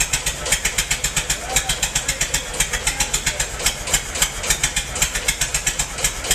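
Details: Massey-Harris 44 tractor stored about 10 years, new points: rough, lumpy idle with uneven puffs about four a second; cylinders 2 and 3 not firing, owner suspected stuck valves, plugs or wires; a stuck intake valve was found.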